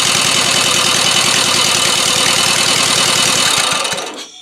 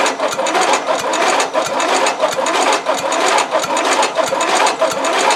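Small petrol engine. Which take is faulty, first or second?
second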